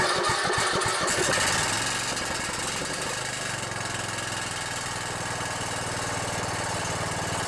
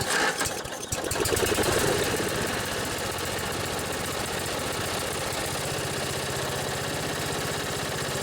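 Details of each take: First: Riding mower with Briggs & Stratton Intek OHV 17.5 hp engine: catches and settles to a steady idle with a light tinny rattle over the beat; muffler rattling, otherwise sounds good. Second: Old Briggs & Stratton riding tractor engine, battery just charged; after a brief catch settles into a steady even idle with no knocks or misses, purring, though upper-end rpm could use work.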